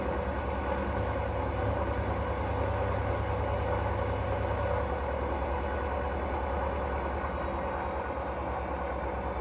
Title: Hoover washing machine, 3.5 years old, what is the cause of the terrible sound? Bearing or motor?